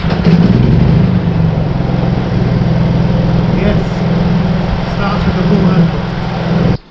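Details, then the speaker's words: Honda EU30IS (EU3000IS) generator after a GX200 engine rebuild with new piston, piston rings, gasket and reset timing: pull-started after long disuse, it holds a deep steady hum with no misfire, surging, knocking or smoke. Running smoothly. "with the pull handle no smoke run smooth"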